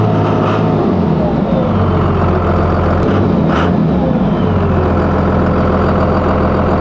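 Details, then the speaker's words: Cummins diesel truck idling with fuel pressure now reading the wanted 16 psi. Revs still rise and fall randomly with nobody on the pedal; the owner weighs the VP pump or APPS pedal sensor but the cause is unconfirmed. "now I have a reading of 16 psi of fuel pressure, which is where I want to be, but I'm still having the random revving problem."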